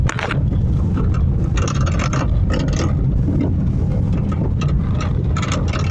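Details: Honda Fit, in-cabin: irregular hollow clunks over uneven pavement under road and wind roar; lower arm bushing, shock mount, tie rod end and stabilizer link already replaced; owner suspects steering column or bearing, unknown.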